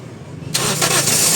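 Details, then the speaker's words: Toyota Vios that died while driving, after installing new fuel pump restoring pressure to about 40-56 psi: brief crank, catches at once, settles into steady even run without stumble or misfire. "Yun na andar. Umandar. O tama yung sinabi ko kanina."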